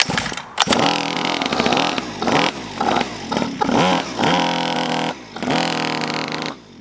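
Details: Chinese 50cc two-stroke pocket bike, just revived: crackles into life and holds a raspy, uneven idle, rising briefly with light throttle blips; it runs.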